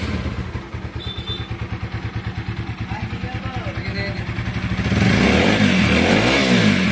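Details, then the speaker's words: TVS Apache RTR 4V motorcycle after an original timing chain was fitted and the rockers adjusted: crisp, regular idle beat around three pulses a second, then a smooth rev with no rattle; sounds like original, normal. "তো দেখুন বাইকটির sound একদম অরিজিনালের মতো হয়ে গেছে, কোনো প্রকার কোনো বাজে কোনো নয়েজ নাই।"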